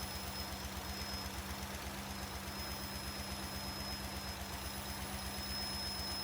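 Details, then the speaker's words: 1998 Cadillac Seville STS Northstar V8 revived after hydrolock and freezing, with fresh oil, idling steadily with a faint high thin whistle; vacuum leak, owner thinks low in the engine. "we have a pretty bad vacuum leak on it I can hear that where that vacum"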